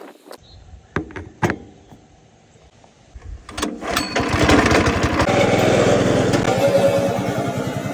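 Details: Honda GX160 engine after carburetor repair for a no-start: a few sharp pull-cord tugs, then it catches and settles into a steady, even chug; running properly now.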